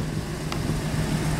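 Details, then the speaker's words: V8 at idle after replacing driver-side exhaust manifold studs: deep, steady, smooth rumble with no tinny rattle or ticking from the exhaust manifold. The repair fixed the noise. "Et là, il n'y a plus de bruit, il n'y a plus de bruit de casserole. Donc nickel."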